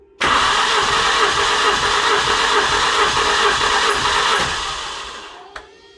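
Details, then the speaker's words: Engine during compression test with oil added to a cylinder after poor oil analysis, piston rings suspected, gauge over 18 bar: steady fast cranking churn with a whirring hum, about four beats a second, then winding down; odd spinning noise of unknown cause. "et en plus de ça j'ai entendu un bruit bizarre un espèce de truc qui s'est mis à tourner je sais pas ce que c'est"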